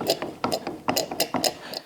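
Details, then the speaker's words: Western Unimount snow plow angle cylinder after repacking, bled with line submerged in fluid: quick irregular sputtering pops and gurgles in bursts with each ram stroke as trapped air purges. "Once I get a solid stream coming out of there, now I know the ram is full and all the air is purged out."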